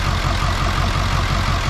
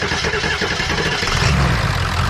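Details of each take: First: Ford 7.3 diesel parts truck with radiator, condenser and intercooler removed: heavy idle with a deep chugging beat lurching unevenly, white smoke; rough idle, glow plugs being tested against 0.6-ohm reference. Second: 7.3 diesel parts truck with radiator fitted and fuel pump jumpered: cranks briefly, fires after about a second and a half, then settles into a steady, even diesel idle clatter with no stumble; normal idle.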